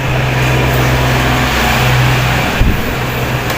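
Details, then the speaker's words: 16-inch electric fan: speed 1 won't turn, speed 2 turns slowly and weakly with a steady low hum and no pull. Fan motor running slow. "16นิ้วนะครับเปิดปุ๊บนี่ครับเบอร์1ไม่หมุนนะครับเบอร์2ทางหมุนแต่หมุนช้านะครับหมุนอื้อไม่มีแรงเนาะอันนี้ซ่อมง่ายนะครับเดี๋ยวมาดูกัน"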